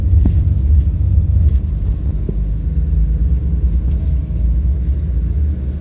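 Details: Volvo 8700 bus diesel with ZF Ecomat automatic that won't engage neutral at idle: deep, heavy rumble pulled low, labouring near stall as the automatic stays in drive.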